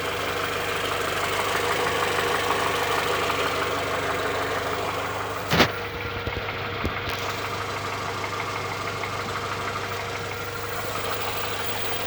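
Idling engine with a tapping knock about three times a second, a bit uneven over the running noise; there is a knock at idle.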